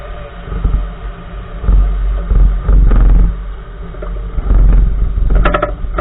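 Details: 2014 Nissan March driving on the road: irregular hollow clunking and thumping from the right front wheel over low road rumble; source part unknown.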